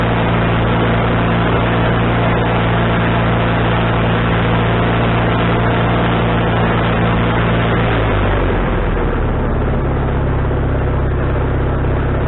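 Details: Wood-Mizer LT40HD sawmill engine with a newly replaced carburetor, mixture screw set three turns out, not sawing: steady, even drone that settles at a lower speed without hunting or surging; runs smoothly, owner thinks tuning is right.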